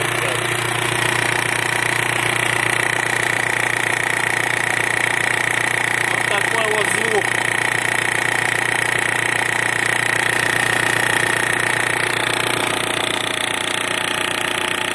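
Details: Mitsubishi L200 4D56 diesel at idle: steady knock about three per second near the balance shaft drive; silent with balance shaft belt removed, knock returns when refitted; cause unknown.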